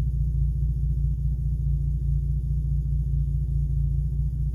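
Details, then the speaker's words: Engine with recurring cylinder 2 misfire, new coils and plugs, idling after aftermarket amplifier disconnected: even low rumble, steady pulse, no skips, no misfire reading; misfire intermittent, amp suspected. "right now she's purring like a Kitt kitten I'm probably going to do this for the next day or two just to see cuz right now no misfire so it is it's not consistent"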